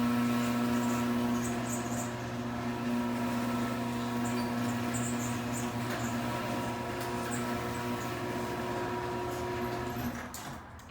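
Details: Chamberlain chain-drive garage door opener, model CG40D, a couple years old, running with steady motor hum and even chain clatter for about ten seconds, then stopping cleanly; normal operation, much louder than the belt-drive B550.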